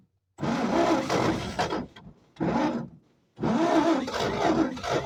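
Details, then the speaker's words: 1946 Chevy 3/4-ton petrol engine, not started in over a decade, parked since the early 70s: rough throttle bursts with short pauses as it catches and keeps running, with compression apparently built. "Well, there it goes. Hell yeah. Well, that's not a bad go. It definitely sounds like it built some compression at least."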